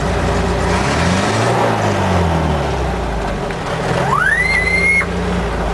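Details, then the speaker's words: 1971 International Scout idling: vacuum-driven windshield wiper whistle climbs quickly to a high steady pitch and cuts off about a second later; normal vacuum whistle. "a vacuum whistle it's 19 freaking 71. why couldn't they put goddamn Electric windshield wipers in the damn thing"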